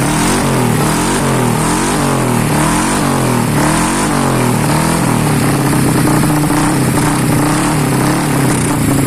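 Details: Honda Beat ESP 2020 fuel-injected scooter running after a custom downdraft throttle body conversion with a CBR150R manifold, injector and holder. The small single revs up and settles into a steady putter with no knocks or rattles, running cleanly.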